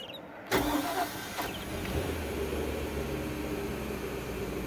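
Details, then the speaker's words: 2001 Sea Ray 225 fuel-injected engine restarted warm after running, temperature stabilized at 150, on garden hose; fuel pump cycles, quick crank, catches at once and idle comes back down smooth and rock solid, healthy. "Fuel injection's good. Idling coming back down. Smooth, rock solid."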